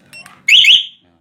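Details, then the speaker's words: Yamaha Nmax scooter, freshly installed 2-year-old alarm with new wiring, first test: two short high chirps, then a loud warbling siren burst under half a second. The siren is still loud and working. "masih kenceng bunyinya"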